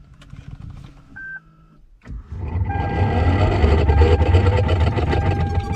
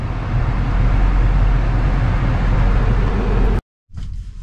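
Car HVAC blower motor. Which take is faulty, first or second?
first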